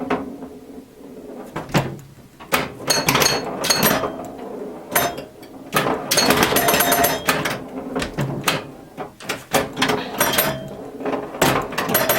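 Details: Restored 1977 Williams Hot Tip, Williams' first solid-state pinball machine: irregular bursts of solenoid clacks, chime tones and score clicks through play with no stalls or dropouts; normal operation.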